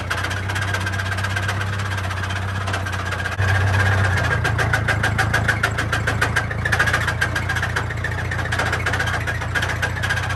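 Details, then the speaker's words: Massey 50 tractor with Continental Z134 engine, knocking with heavy blow-by after seeming to overheat while bush hogging: heavy uneven deep internal knock growing louder under load lifting the blade; owner suspects spun bearing, also wondered about starter Bendix, unconfirmed. "That is definitely coming from the inside of the engine. I've never heard anything like that."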